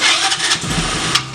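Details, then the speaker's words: Tao Tao 110cc go-kart engine with a new fuel filter. It fires with a few ragged pops, then stumbles and fades instead of idling. The owners suspect the carburetor and plan to replace it. "It's the carburetor. It's a carb. You think? I mean, Do it again. it's firing."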